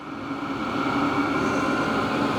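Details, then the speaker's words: HCALORY Toolbox diesel heater for a Ford F-350 camper, on its first run, cranked up to 10. Smooth steady fan whir with a constant combustion hum, somewhat loud, no sputtering or pitch swings, running normally. "But also consider it is cranked up to 10. It's its first workup, things like that."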